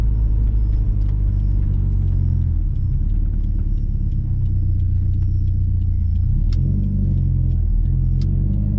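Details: Subaru WRX STI on a test drive after the Kartboy solid rear end links were redone on a Faction Fab 22mm adjustable rear sway bar, previously popping over bumps: road rumble and tyre noise over rough pavement and tracks with no popping. The rear suspension is quiet.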